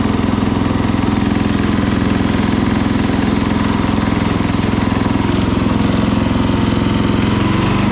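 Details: Murray lawn mower single-cylinder engine, just after carburetor cleaning for dirty fuel (float and needle fine), started on choke at full throttle: fires evenly at a fast, steady beat with no misses or surging; runs clean and healthy.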